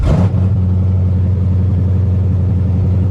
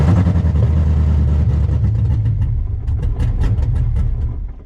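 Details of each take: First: Project Corvette hot start: fires straight away and settles into a smooth, steady idle around 900 rpm without hunting; healthy. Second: Project Corvette engine whose tune was set for ID2000 injectors but now runs LS3 injectors: lumpy, uneven running that sags and dies within about five seconds; won't hold idle with injectors mismatched to the tune.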